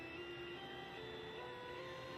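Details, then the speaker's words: Commodore SX-64 with faulty SID chip, running a musical-scale program from the owner's guide, mic near the speakers, volume turned up to maximum: faint stepped tones barely above hiss with an occasional sharp pop; at mid volume only the pop is heard. "this is with the volume up all the way it doesn't go any higher if we turn it down to kind of about a mid-level volume you can't hear anything except that occasional pop"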